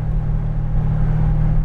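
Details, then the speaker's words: 1968 Dodge Coronet R/T 4-speed with rebuilt 440 V8, test drive shifting from third into fourth: steady deep drone pulling evenly under load, no gear whine, clunk or grinding; transmission and clutch healthy. "now we're gonna void the fourth there we are amp transmissions perfect clutch is good we're all set"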